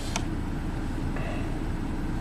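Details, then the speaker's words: 2012 Ford Focus no-A/C diagnosis, engine coolant temperature sensor circuit open: cooling fan comes on and runs steadily nonstop as a steady whoosh, compressor not expected to engage; fault is bad connection or bad sensor. "you can hear the cooling fan come on and I don't think this air is going to get very cold so the cooling fan is on"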